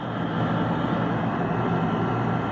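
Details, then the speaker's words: HVAC compressor drawing 35 amps at 124 volts as it tries to break free. Heavy, steady low hum that never settles into a normal run: a locked compressor. "see that right there pulling 35 amps trying to break that compressor free"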